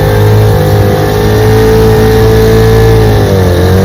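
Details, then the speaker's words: Restored 1947 Johnson HD-25 2.5 hp outboard after carb intake manifold replacement, on lake pushing a john boat about 3 mph: even two-stroke putter, slight dip near end; running smoothly. "Out here on Toledo Lake, running her. She runs great. Pushes my little John boat about 3 miles an hour."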